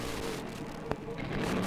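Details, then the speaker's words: Hot engine with the throttle flipped open gives a sharp pop and brief stumble: a misfire hesitation from a faulty spark plug, cured by renewing the plug. "you can hear it when the engine is hot and you'll flip the throttle can you hear the hesitation"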